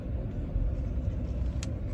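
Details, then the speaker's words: Cadillac Escalade V8 back from repair, warmed up, driving: low smooth steady rumble with only road noise, no ticking or tapping; owner says it sounds like a completely different car. Normal engine running while driving. "It sounds like a completely different car. It's amazing. You wouldn't believe the difference in this car."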